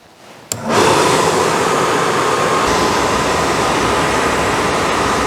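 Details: Suburban RV furnace on bench, powered by drill battery, after no-gas no-ignition fault: one sharp ignition click, then a steady, even roar without surging or cutting out; blue flame, burner lights and runs normally.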